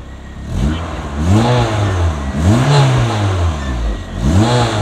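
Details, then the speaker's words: Honda Civic Si 9th gen with newly built K24 engine, first start after oil change, car on jack stands: clean idle with crisp throttle blips, no knocks or rattles; sounds good, oil and fuel pressure fine, normal running. "well it sounds good going to check the oil pressure real quick oil pressure looking nice"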